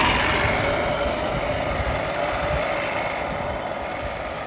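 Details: Revived Yamaha golf cart that sat 6–7 years, driven home in forward gear: steady engine drone under road and wind noise, no knocks or misses. Normal running under load.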